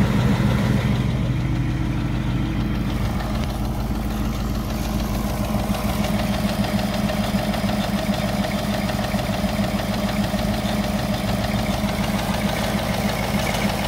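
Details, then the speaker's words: 2018 Ford Mustang GT V8, 6-speed manual PP1, high kilometres, owned three years, a few minutes after cold start, mic near the left wheel: fast, light, even ticking about three per second over the idle; typewriter tick, cause not pinned down. "during cold starts on these vehicles it's very loud you're not gonna hear anything except two or three minutes into the startup so now you can hear it tick tock"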